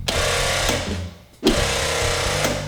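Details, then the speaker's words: 1984 Ford Escort diesel barn find, non-running, key turned on after the ground cable was cleaned: the electric vacuum pump buzzes steadily, cuts out briefly and restarts, with no hissing and no vacuum leak. Working normally. "Oh, now we got some electric motor starting up that wasn't running before. It kind of freaked me out. It's definitely the vacuum pump."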